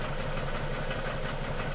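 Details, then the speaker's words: Ford BA Falcon XR6, 390,167 km, left in a paddock 8 years: rough lumpy idle with missing pulses; unplugging coils shows cylinders three and six make no difference, misfire on those two. "number six doesn't seem to be making any difference at all the number three and number six are the faults"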